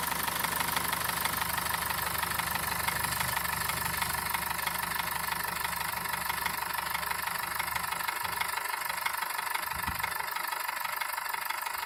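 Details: BMW M47TU diesel at steady idle with a regular even knock about twice a second, persistent; engine knock, source not pinned down.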